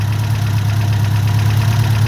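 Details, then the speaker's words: Ford Mk1 Escort panel van engine, not rebuilt, idling after a PCV valve replacement, before warming to operating temperature: steady, even beat with no chugging, where it once chugged like a steam train, a normal idle. "So I'm happy with that. Before it was chugging like a steam train. Now it's not."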